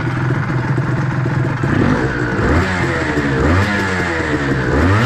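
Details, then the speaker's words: Honda NSR250R MC21 two-stroke after restoration, carburetor adjusted: idling and blipped with a light dry rattle over the engine; dry clutch quiet when new, louder as it wears, likely no problem; normal dry-clutch rattle. "Ly hợp khô không gây ồn khi bắt đầu thay thế. Nó trở nên to hơn khi ly hợp bị mòn."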